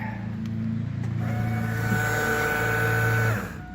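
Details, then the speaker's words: 2002 GMC Yukon Denali after replacing bad fuel pump and rewiring harness: engine starts and runs evenly with steady smooth hum, no pump whine or surging; normal fuel pump operation. "that's a good feel pump right there that's what you guys want"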